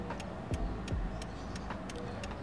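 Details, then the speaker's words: Toyota Wish, hazard lights on, camera inside the cabin near the flasher relay above the gas pedal: crisp, even ticking about three times a second; normal flasher relay clicking, before swapping to an LED-type relay to cure fast flashing. "Turn on your hazard lights You’ll hear a clicking sound Let’s bring the camera in Just follow the clicking sound It’s usually above the gas pedal"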